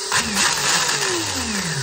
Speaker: then I go full break and then I press it another time the speedo bling it went green so now we are ready and it works